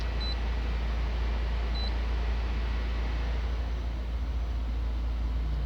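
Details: 2014 Fiat Novo Palio, warm at 97 °C coolant with the radiator fan just switched on, sensors normal: low, steady idle hum with an even beat and no misfires or knocks, two brief electronic beeps; normal idle.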